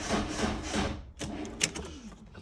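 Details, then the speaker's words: Peugeot project car after timing belt change, possibly no fuel: slow, labouring starter strokes about three a second fading to a few clicks; battery too low to crank, later started with a jump pack. "Look at that on the button. Yeah, we'll a bit of a low battery as well."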